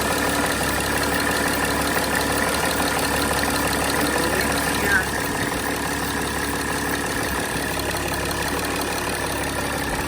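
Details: 2006 Mercedes E320 CDI, OM648 diesel, restarted after replacing glow plug control module and fuel rail pressure sensor and erasing codes (air in system, slow start): steady idle, even soft clatter, no misses, knocks or hunting; no codes or check engine lights.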